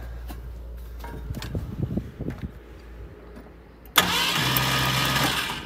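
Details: 1972 Ford Maverick Grabber with factory V8, parked a decade, new battery fitted: the starter churns steadily at about four turns a second with no firing. Cranks but won't start; the owner plans to clean the plugs.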